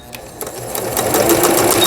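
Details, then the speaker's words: Juki HZL-K65 horizontal-hook sewing machine after repair (needle bar lever and hook shaft had been disturbed), sewing a straight stitch: motor spins up smoothly to an even, fast stitching patter with no knocking or grinding. Runs healthy. "이러면 수리가 된 거예요. 버튼 눌러서 직선 바느질."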